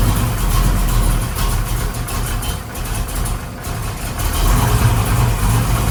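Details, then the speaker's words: V8 in a project car with a new Flowmaster exhaust, vacuum advance moved to another port: loud, lumpy, loping idle, improved but still rough from too little ignition timing; power valve also wrong and lean spot off idle. Rough idle. "so it's better it just didn't have enough ignition timing in it really it's just it's the whole combination is just off"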